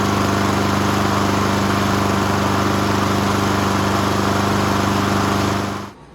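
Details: Subaru EA175V self-propelled push mower, started with the key electric start after carburetor issues: smooth, constant engine drone holds steady about six seconds, then shuts off cleanly; running healthy.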